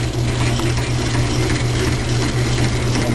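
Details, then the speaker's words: Logan lathe turning a railroad spike with interrupted cut: irregular rattling clatter over steady hum from change gears; homemade idler stud had loosened and was wiggling, later tightened. "I found out what happened. That stud I made there in the back was loose and wiggling around. It didn't like to interrupted cut apparently and loosen it up."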